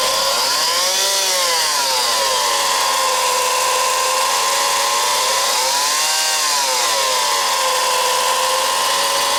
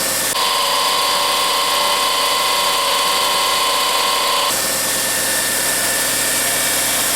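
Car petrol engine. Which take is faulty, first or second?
first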